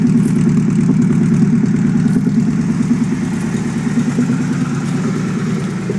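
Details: Chevette running swapped Keihin CV motorcycle carbs, dead cold start after resealing badly seated parts that were hard to seal: steady cold idle, slightly wobbly but even, no popping or stumbling, mixture about right.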